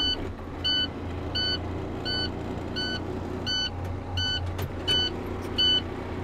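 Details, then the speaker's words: Class-A CDL truck just after a safe start, in neutral with the truck and trailer brake knobs pulled: a steady pulsing low-air warning buzzer sounds over the idling diesel, which is normal while the tanks fill and until the governor cuts out. "right so we just got in and crank the vehicle as you can hear the buzzing that's going on we have to wait for our air tanks to fill up and our governor shut off"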